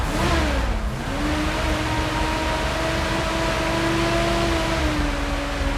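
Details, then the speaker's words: Classic V8 with mild cam, working electronic ignition and accelerator pump: uneven note that sags and wanders rather than holding idle, with gas-smelling smoke; likely clogged carburetor idle circuit, power valve also suspected. "tells me that we probably have a carburetor problem on the idle circuit"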